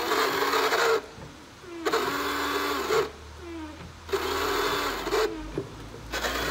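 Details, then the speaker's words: Dirty windshield washer pump motor run in short bursts: small motor whir whose pitch sags and recovers, as if dragging; line clogged. Cause suspected, not confirmed. "y se oye el motor el asunto es que está tapado está acá para la línea"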